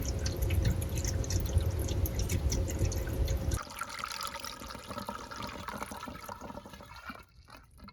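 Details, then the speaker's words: HVAC condensate drain line after clearing a stubborn clog with Drano/Liquid Plumber: poured water gurgles heavily, then thins to a steady trickle running away down the line, with no backing up; the drain is clear and flowing. "And if you listen, you can hear it. Yeah, you can hear it draining down."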